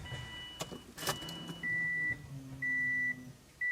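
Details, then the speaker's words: Car with hot-start problems, judged mechanical rather than tune, after a fuel pressure regulator change, with an AEM E85 320 lph fuel pump: at key-on a steady two-second electric hum under door chimes, a much better and healthy prime. "that sounds better let's give it a another [Music] Prime oh yeah that is so much better"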